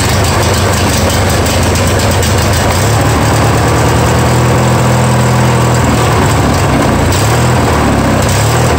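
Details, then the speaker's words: Free Yard Machines mower, 20 hp twin, first start after sitting; loud engine hunting up and down in pitch, won't idle down; no knocks heard, owner pretty sure it just needs carburetor work. "that issue boys they are not even won't even idle down soul yeah so we need obviously some carb work"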